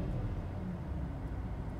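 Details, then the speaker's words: Volvo, after replacing the failed fuel pump electronic module (PEM) that caused crank-no-start, AC off on an 80-degree day: low, steady idle rumble with an even beat and no misses or knocks; idling strong, normal. "yep so far so good we're back in business and it's idling strong"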